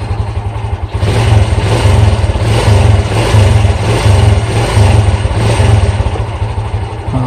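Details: Fury 125 New Breed motorcycle after CDI replacement fixed dying and sputtering when throttled and stalling on gear change: deep even exhaust note through about a dozen quick throttle blips, no stumble or bog; pulls cleanly, healthy revving.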